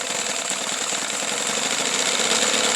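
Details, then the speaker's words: Johnson SeaHorse 15 hp two-stroke outboard due for tune-up, started with starting fluid in cold January weather: steady fast buzzing drone, even speed, no misses or surging; runs smoothly and quietly. "you can hear it's quite a nice quiet running motor"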